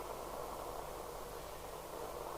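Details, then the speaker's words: President KP77 UK FM CB base station rebuilt from scrap chassis, switched from public address to extension speaker: constant steady FM hiss on output; owner suspects the same capacitors blamed for earlier distortion. "so we'll swap that over now to extension speaker i have an fm hiss again i don't think it sounds good that again will be those"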